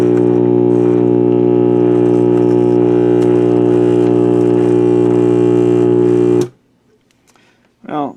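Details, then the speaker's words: Mid-1960s General Electric AM/FM vacuum-tube table radio, first power-up: loud steady low hum with even overtones under the music before cutting off, likely bad filter capacitors. "sense in listening to that sounds like we have bad filter capacitors"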